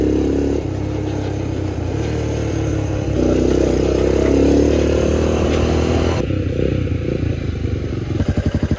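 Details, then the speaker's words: Old Honda single after new carburetor and valve adjustment: even, regular firing at idle and clean revs up and down, no misses, slightly smoky; normal running. "But hey, she runs good."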